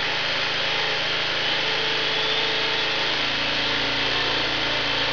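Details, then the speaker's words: Small 750 W generator running on wood gas from a gasifier at governed speed before a 600 W load test; high steady buzz at constant speed, picking up slightly after three seconds, smooth and unbroken, healthy. "So that's about wide open as far as, you know, as the generator normally runs. You can hear it as it's starting to pick up a little RPM now."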